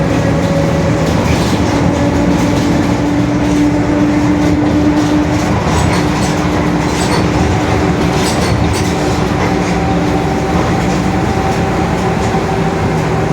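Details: Marcopolo Torino S 2018 body on 2021 Mercedes-Benz OF-1721 BlueTec 5 diesel city bus, while driving: a steady low droning hum over road and cabin rumble, from a growling, worn differential.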